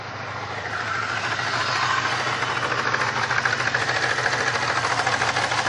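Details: 1999 Grand Prix SC 3.8 running with an uneven, stumbling beat and irregular dips: engine misfire caused by a bad ignition coil (#1-4).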